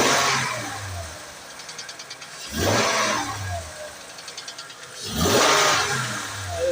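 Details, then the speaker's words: 2008 Acura MDX engine, quick throttle blips and releases: fine, fast ticking as revs fall back each time; owner asks what causes the knock, source not determined. "Звук слышишь, как цокает? Вот так, газнул и бросил, газнул и бросил."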